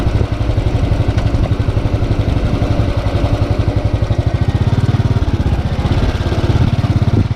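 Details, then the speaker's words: Motorcycle, hot idle after dealer engine replacement including starter, throttle body and fuel injector: steady, even low thump about three beats a second, no knock or valve tick; healthy. "as you can hear nothing no have little choices whatsoever valve boys is quiet"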